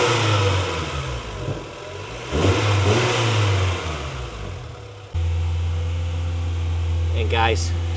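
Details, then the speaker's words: JDM 1998 Honda Integra Type-R DC2 after timing belt, water pump, seals, drive belt, clutch hydraulics and engine mounts replaced, first start while bleeding cooling system, warming up; clean rev then steady even idle, no knocks or ticks; normal start and rev. "sounds really really nice uh all we trying to do now try to get her to Opera in temperature"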